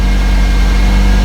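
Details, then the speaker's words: 2007 Toyota Corolla 1.8L just after a new starter motor was installed; starts strong and settles into a smooth, steady idle with an even low hum and no ticks, grinding or whine. "now we're going to try to start it up new starter has been installed let's start the car see how it does oh yeah strong"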